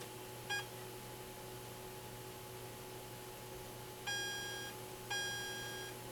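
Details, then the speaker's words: On a 1979 Atari Asteroids arcade PCB under repair, the saucer fire sound gives short high electronic beeps that cut off abruptly instead of fading, with no decay tail; a bad capacitor is suspected. "could just be a cap because it kind of sounds like the right sound almost like that except it doesn't have the tail it doesn't have the tail off and that's where the caps come in so it could just be a bad cap"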